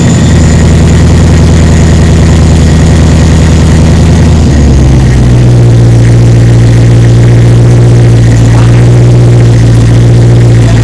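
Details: 1936 Chevy sedan with rebuilt 6.0L LQ4 LS swap, first start, no coolant, on jacks: steady idle drops slightly in pitch going into gear, then settles evenly without stalling; healthy.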